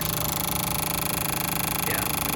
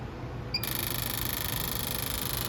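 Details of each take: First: Driver-side number one fuel injector from a car idling rough, bench-tested: rapid even ticking, but it flows only about 20 versus 100 or more; clogged injector. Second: Fuel injector tested on the bench: rapid steady crisp ticking about three to four per second over faint hiss; this injector clicks normally.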